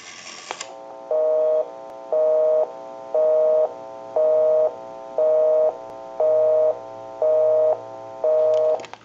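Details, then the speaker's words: Repaired Automatic Electric rotary dial desk telephone, final checkout via amplified pickup, after dialing own number: steady tone pulsing on and off about once a second, eight times; normal busy signal. "we can call one other number we'll call my number and it'll be busy give you some dial tone and we'll make that call"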